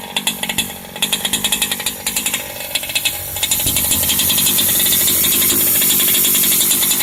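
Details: Turtle Racing V2 pull start on a two-stroke engine: rapid light clicking at idle that stops when throttle opens and revs climb; starter dog gripping the flywheel, confirmed normal.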